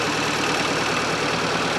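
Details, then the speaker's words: Fiat Panda 4x4 Sisley after carburettor-to-throttle-body fuel injection upgrade: steady, even idle hum with no misses, knocks or ticks; normal idle. "whatever it's running sweet as anything listen to that"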